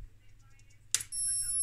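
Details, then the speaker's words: Philips PM3350A 60 MHz analog-digital oscilloscope switch-mode power supply at power-up: a click, then a loud steady high-pitched whine; failed optocoupler, and after replacement it still needed each output loaded about 200 mW to regulate, since it won't run unloaded. "you hear this it goes we really really loud so that is uh definitely not like it's supposed to do"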